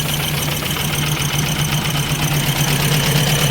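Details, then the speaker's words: Ford Escort MK3 GLE carburetted engine, warming up, idling before timing and carb adjustment: a light, even tick about three per second from the top end. Cause unknown; the valve cover is to be pulled. "You hear that ticking noise. Something's not happy on this car. Something is not happy on this engine."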